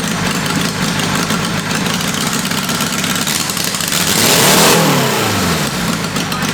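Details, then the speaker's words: Uneven, wavering idle, then a rev blip that settles back unsteadily on a roughly 525cc 4-cylinder military go-kart engine test-fired after a VM22 Mikuni carb tune; rough running, and ignition is suspected but not confirmed. "Okay. I do think we still have some runnability problems. It could have something to do with ignition or something like that."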